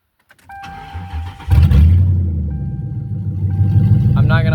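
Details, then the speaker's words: Mercury Grand Marquis after the cup intake upgrade: brief crank with door chime, then a steady, even, healthy idle; owner thinks it runs smoother. "I think it runs smoother."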